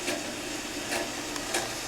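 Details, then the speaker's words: Mr. Coffee tea kettle filled to maximum, heating; faint ticking and short hissing bursts about every half second, an odd noise of unclear cause while heating. "Making some noise. I don't know if you can hear that."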